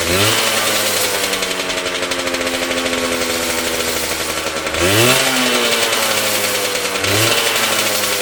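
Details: Homemade bike, Yamaha 125cc two-stroke (DT or RD YPVS) in old Tunturi frame, cold on choke: rough raspy running, quick throttle blips, gritty grind underneath; grinding when clutch lever pulled, cause unconfirmed.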